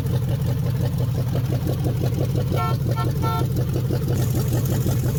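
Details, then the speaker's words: 1969 Chrysler 300 V8 refired with temporary carburetor, open exhaust manifolds, 70 psi oil pressure: deep loud idle with uneven lumpy pulses once or twice a second; rough, owner suspects slightly retarded timing or open-manifold sound. "Engine still runs pretty good. It sounds a little slow on timing to me, just a little bit. It might also be the sound of the manifolds."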